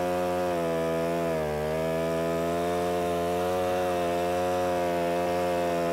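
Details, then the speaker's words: Alpine Magnum portable stump grinder trenching, about 75 ft of trench cut 8–10 inches deep in three passes; steady small-engine drone dips in pitch as the cutter bites, the motor bogging down under load. "if this happens to be a little bit on the wet side and so you can hear the motor bogging down a little bit"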